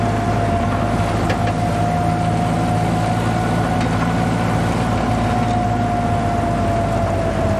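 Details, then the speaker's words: Jeep with rebuilt original Carter WO carburetor just installed, at cruise with idle slightly low: steady mid-pitched whine over engine drone, easing slightly as speed drops; rear end whine, an ongoing problem, engine otherwise running well. "Otherwise, it is running pretty good. Rear end isn't happy as usual, but"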